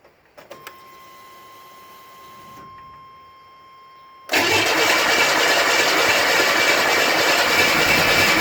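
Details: Buick Grand National on E85 with SD2 chip, no mass airflow sensor, throttle position sensor set to 0.42, about 80 psi oil pressure built: loud steady cranking churn that never catches or fires; cranks but won't start, no spark suspected.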